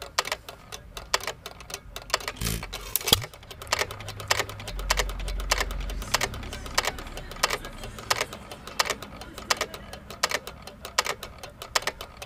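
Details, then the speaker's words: Hit-and-miss engine (1½hp T. Eaton or 4hp Nelson Brothers) freewheeling, no governor springs, slowest throttle: sharp, evenly spaced clicks about every two-thirds of a second, the cam tripping the exhaust latch arm each cycle; normal. "all right so if you're listening to the motor you're in here making a clicking sound click click click that clicking sound means that the motors ran through one uh cycle of the fourstroke cycle"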